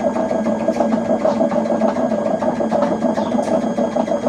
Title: LG washing machine making loud noise #noisy #lg #washer #repairs